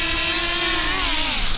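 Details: Floureon 250 FPV race drone armed on the ground at low throttle before liftoff: a smooth, steady high whine from all motors that dips evenly, with no scraping or ticking; all motors working normally.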